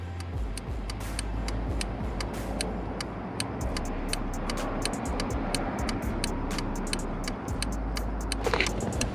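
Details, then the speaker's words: Subaru WRX STI with Subispeed V2 Redline sequential LED headlights, aftermarket Dewhel adjustable flasher set back to regular rhythm: crisp, evenly spaced clicks at normal blinker pace over low engine hum; normal turn signal flasher rate. "so i'm gonna have it at the regular rhythm let me just turn it up real quick just adjust it at the flick of a volume button man"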